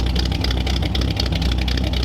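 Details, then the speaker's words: 1938 Ford convertible V8, first longer run after fitting new stainless true dual exhaust: deep, lumpy idle with a steady low rumble, slight unevenness and heavy smoke. Running rich and loading up at idle; the carburetor needs adjusting. "So this is the longest we've run it, and it was instantly, you could hear as it was idling, loading up."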